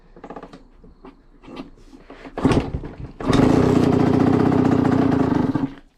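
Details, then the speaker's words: Honda CR85 two-stroke after top end rebuild, first kicks; fires and holds an even, crisp idle with no misses or knocks, sounds clean and much better than before; owner may adjust air-fuel screw; normal running. "That sounds good. The motor. Sounds clean. I got Sounds a lot better than it did before."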